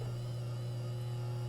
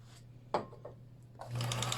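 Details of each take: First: Older Kenmore sewing machine that was fully seized, just freed and belt retightened: steady low electric hum, motor straining, described as sounding like a tractor as it starts moving. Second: Older Kenmore sewing machine that was badly seized, freed with penetrating oil: quick, light, even clatter at about three stitches a second, running freely with no binding; healthy.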